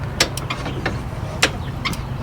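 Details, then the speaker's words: Toro Timecutter riding mower with swapped engine at key-on: sharp irregular clicks over a low hum from a faulty, partly failed brake control module still wired to brake, seat and fuel solenoid circuits. "it clicking? So that's those still the brake uh Control arms still or sensors on them."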